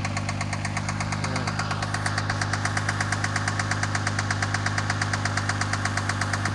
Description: My 2000 Mercury Cougar with an unknown knocking sound... The knocking speeds up when given gas.